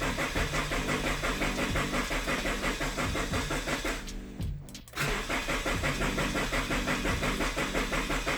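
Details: Scion FR-S/BRZ, first start after cleaning and wrenching, check-engine light still on: steady starter cranking about three beats a second, a short pause, then it catches and settles into an even idle.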